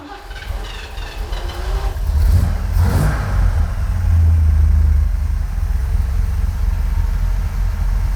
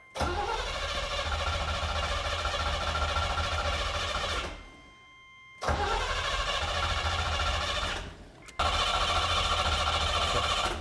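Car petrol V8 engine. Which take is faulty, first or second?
second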